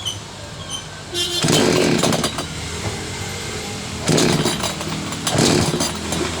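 Engine fires up and picks up cleanly, with three crisp throttle blips that rise and settle without stumbling; running normally now.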